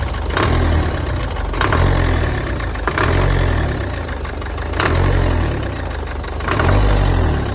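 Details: 1.5 dCi 110 diesel with a sharp clack on each throttle rise, roughly every one and a half seconds over the diesel rumble; source not pinned down.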